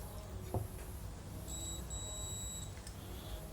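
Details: Alternator stator tested with a multimeter: one clean high beep lasting just over a second shows continuity, so the stator windings are intact.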